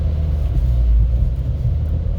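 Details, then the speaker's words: Seat Leon Cupra R 2.0 TFSI 265 PS on a wet test drive after the cylinder 4 misfire was fixed: deep steady full-throttle roar, even with no stumbles or pops, pulling hard during a boost-pressure check; normal full-throttle run. "Der zieht aber richtig brutal. Ja. Okay, nochmal einen kleinen Ladedrucktest."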